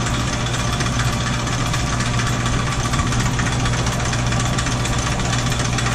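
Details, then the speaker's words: Roughly 100-year-old Sidney lathe running in reverse feed with the screw feed engaged: steady low motor hum under a busy gear rattle, no clanks or grinding; slightly wonky but otherwise works well, normal running. "But anyway, you can see a little bit of, maybe a little wonky to that, but other than that, works really good."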